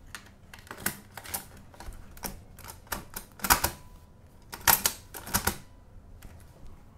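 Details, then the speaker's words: Atari SF 314 double-sided floppy drive, bought as defective, powered by a USB charger supplying 5 V and not connected to the computer: scattered sharp clicks and short rattles as the head steps and seeks at power-up, working normally. "yeah definitely does some seek if i'm not completely mistaken atari disk drive does not do much on startup so only if the atari is connected and booting up it does something"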